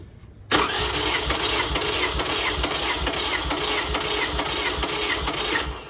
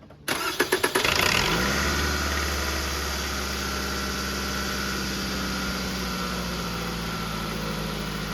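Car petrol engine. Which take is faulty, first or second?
first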